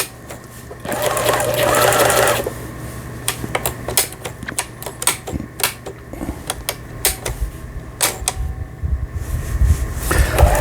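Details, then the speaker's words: Pfaff Tipmatic 6120 sewing machine, German-made, about 25 years old, broken about 5 years, on 220 V: stitching test with even quick stitching and smooth hum, no grinding or knocking; sews normally. "후진 버튼 정상적으로 박음질 돼서 나오고 있고, 아주 굿입니다. 땀수 잘 나오네요."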